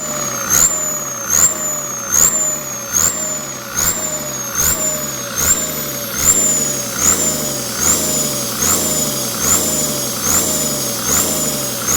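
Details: Komatsu tractor turbocharger, T04 with AR60 housing, on test: engine blipped about once a second, each rev bringing a high rising whistle that falls as revs drop; clean hissing, singing spool, a normal healthy turbo.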